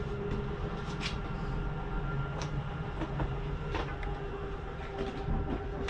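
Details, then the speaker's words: 2022 Jayco Jay Flight Bungalow 40LOFT slide-out retracting: steady electric motor drone, low rumble and light clicks; end noise is not grinding, just the mechanism signalling fully in, so release the button. "want you to hear that noise that is nothing grinding that is just a slide mechanism telling me i'm in all the way go ahead and let go the button"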